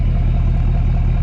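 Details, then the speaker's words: Truck at idle: deep steady rumble with a regular low thump pulsing through it; owner can't tell whether it is misfiring or not an issue, so a possible misfire is suspected but not confirmed. "So, uh I can't tell if the truck sounds like it's misfiring or what or if it's not an issue."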